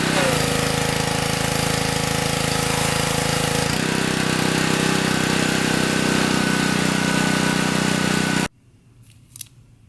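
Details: Honda-type pressure washer engine that wouldn't start after storage, after cleaning the gummed carburetor in place with a solvent kit: small single-cylinder runs steadily at governed speed, even firing with no misses, then shuts off; normal running.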